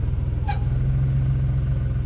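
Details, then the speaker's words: 1991 Dodge Grand Caravan SE at idle: low engine rumble with one short high chirp right after start-up; drive belt squeaking because it has water on it, expected to go away. "Like it's squeaking because it's got water on the belt. That should go away."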